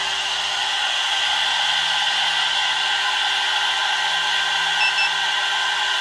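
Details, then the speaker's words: Air-cooled 1.5 kW 110V CNC spindle with VFD, five-minute test at full 24,000 rpm, body warming to about 73-84 degrees; steady even high-pitched whine with airy rush, no wavering or grinding, running smoothly. "so we're gonna run this for five minutes i'll be back after five minutes so from here you can also have idea how loud is the air cool spindle"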